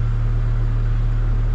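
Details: 2005 Chevrolet Colorado idling after faulty PCM replaced and passlock relearned (new battery fitted): smooth, even low hum with no knocks or misses; truck idling normally.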